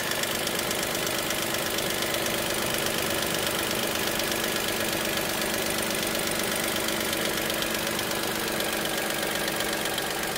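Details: Dacia Sandero SCe75 at idle: light, quick ticking with constant rhythm layered over a steady idle hum; ticking at idle, cause undetermined.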